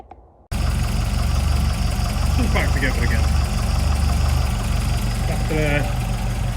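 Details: 1979 Mk2 Escort RS2000 engine after rebuild, refitted with a trimmed, glued-in-place gasket: catches at once and holds a steady, deep, even idle with no ticking or knocking; sounds good.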